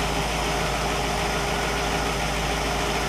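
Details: Warm 1960 Pontiac Catalina 389 V8 hooked to a 1960 Heathkit IO-20 ignition analyzer: smooth, even idle with steady rumble, no misses, knocks or ticks; healthy engine.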